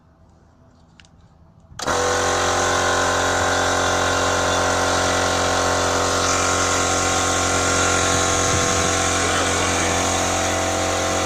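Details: MUXCUT Chinese electric piston compressor that only hummed and stalled, after replacing the failed 25 µF 450 V start capacitor: starts cleanly after a moment of quiet and runs with a steady even hum and rapid beat; normal running.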